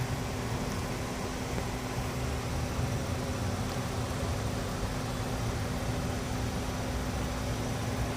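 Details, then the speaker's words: Steady low-pitched whine from a wheel while braking on the move, over road noise; owner suspects worn pads or bolts, unconfirmed. "Maybe the bolts or the pads are worn off. It really whines when braking."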